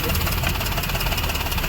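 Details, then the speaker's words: Maruti Suzuki WagonR running on CNG after CNG injector replacement: steady, even idle with a smooth low hum; the earlier misfire, vibration and tak-tak ticking from the engine are gone. "यहां प अभी CNG प है vibration भी बंद हो गया है और जो मिसिंग कर रहा था जो आवाज आ रहा था इंजन से टक टक टक टक टकटक वो भी बंद हो गया"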